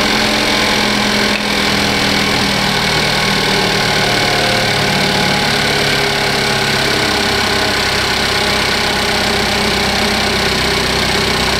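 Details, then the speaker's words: 2015 Cadillac ATS Luxury 2.5L RWD, junkyard used engine freshly swapped in, warming up at idle with AC compressor on: steady even idle with light fast injector ticking on top, no knocks or misses; sounds healthy, runs smooth. "That's all I hear. I hear the injectors. The engine seems to run really smooth."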